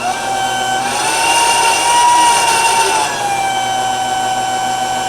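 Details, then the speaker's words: Off-grid RV site water pump, plugged in without on/off switch, used for garden and RV water; steady motor whine that swells slightly then settles to even hum, working. "it sounds like it's working."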